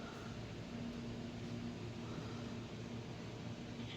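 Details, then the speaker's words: HP LaserJet 1008 printer powering on after replacing a copy cartridge with an original: only a low steady hum and faint whir, no grinding or clicking; the earlier noise was caused by the cartridge. "यह आवाज आना हमारा बंद हो गया। यह cartridge की दिक्कत थी। इसके वजह से यह पहले आवाज कर रहा था।"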